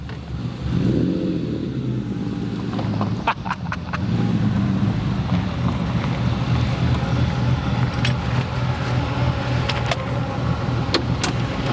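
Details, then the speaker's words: 1973 Lamborghini Jarama S, 365 hp V12, hot start: deep, even V12 rumble, revs settling around 2000 rpm with a steady firing beat; engine sounds healthy. "fait presque peur ah ça fait peur le V12 qui gronde on est qu'à 2000 on a déjà une petite sonorité"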